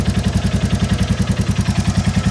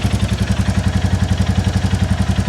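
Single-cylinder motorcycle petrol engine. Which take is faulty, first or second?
first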